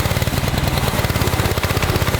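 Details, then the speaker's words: Honda engine on a gasoline pressure washer, sat for months, running in cold weather after a one-pull start: quick, even single-cylinder beat with steady pitch, no hunting or missing. Normal running. "This thing's been sitting for months. One pull and it starts. Look, it's working."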